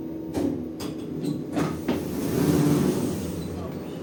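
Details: 2011 Schindler 5300 lift with a replaced keypad panel, which normally runs well, travelling down: uneven knocks and a heavy rumbling swell over the ride; abnormal, worrying rumbling during descent, cause unknown.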